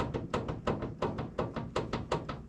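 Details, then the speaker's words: Wood-Mizer LT40 Super Hydraulic bandsaw mill idler wheel bearing rocked by hand: sharp clunks in quick back-and-forth pairs, about three a second; worn bearing with about 1/4 inch end play, should have zero play. "Oh yeah, I mean it's got, that's got to be bad. It's got a 1/4 of an inch end play."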